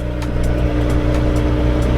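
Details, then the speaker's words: BMW 335i at its first start after its ECU was repaired by a specialist. Before the repair it misfired with white smoke and later would not crank, and now no codes are present. A short, steady, even hum with no stumble or miss: normal idle. "Well, the fact that it's starting, that's always a positive, isn't it? Because before it wouldn't even start."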